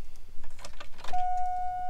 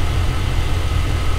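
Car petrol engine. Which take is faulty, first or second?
first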